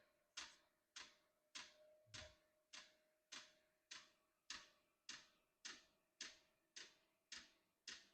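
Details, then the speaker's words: Unboxed diesel heater, first start out of the box, fan on and heating up: crisp, even pump ticks about 1.7 per second over a faint steady fan hum; normal warm-up. "it's heating up fan is on interesting that the fan goes let's let it do its thing I can definitely hear the sound of something heating up"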